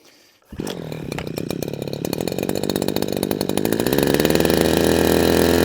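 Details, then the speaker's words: Husqvarna 123HD60 hedge trimmer, unused for a long while, after priming: two-stroke fires and runs ragged, surging as it gathers revs; rough running, suspected faulty carburetor diaphragm. "Okay, diaphragm, I think. Let's get a bit more primes. Right, we're winning."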